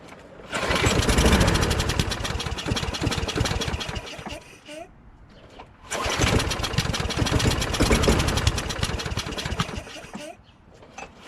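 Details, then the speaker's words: John Deere JS26 self-propelled bagger lawnmower from storage, carburetor bowl cleaned of gelled gas: engine catches, runs with a ragged uneven beat, then dies, twice; water suspected still in the fuel; rough running and stalling, cause unconfirmed. "so it seems like there's some water that was still in"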